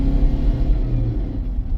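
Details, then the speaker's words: Road test after repair of P0340 camshaft sensor code: deep steady engine drone climbing smoothly with throttle under road noise, no stumble or misfire; normal revving, confirmed fixed. "The motor would never rev that high if there was issues with the cam sensor. So I am absolutely 100% confident this is fixed."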